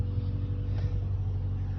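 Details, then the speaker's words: 1996 Honda Civic EK hatch, stock GSR engine, idling after fuel injector and air filter replacement: smooth steady low idle with loud intake breathing rumble, no misses or knocks, no fuel leaks or check engine light; healthy. "I like that it is kind of loud but a lot of the sound comes from the intake of it just breathing in so I like that sound more than the higher raspy sound of the exhaust that most people have"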